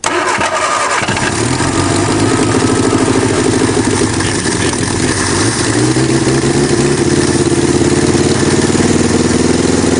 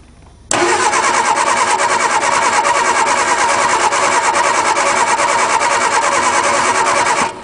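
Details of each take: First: 1961 Ford Anglia, cold start after sitting perhaps 10 years, engine not seized, primed with gas, points unsanded: about a second of cranking, then it catches and keeps running, revs rising and falling under the throttle; normal engine start. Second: 1961 Ford Anglia cold start after sitting about 10 years, engine not seized, jumper wire to the solenoid: starter cranks steadily about three turns a second for seven seconds, never catches; no spark found, points to be sanded.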